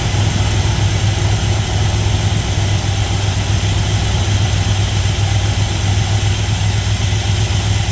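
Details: 1977 GMC Sierra Grande, small-block Chevy 350 V8, after valve and roller rocker adjustment: deep, steady rumble with an even beat and no misses or ticks. Idle is normal; slight dieseling at shutoff is suspected from carbon or carburetor adjustment.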